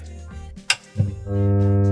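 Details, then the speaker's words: Genius PC speaker set (subwoofer plus two satellites): a click at switch-on, then a loud steady low mains hum that continues when audio plays, from a failed power-supply filter capacitor. "Y como podéis comprobar, hace un zumbido bastante molesto. Y si ponemos algún tipo de sonido o alguna cosa, pues veréis que continúa."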